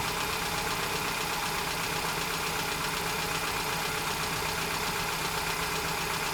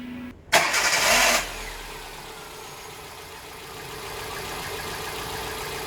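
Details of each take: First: 2010 Hyundai Getz 1.1 at idle before valve clearance adjustment: light, fast ticking about four per second over a steady idle, valve chatter from incorrect clearance. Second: 2010 Hyundai Getz 1.1 after valve clearance adjustment: starter cranks briefly, engine catches and settles into a smooth, even idle with no valve-train ticking.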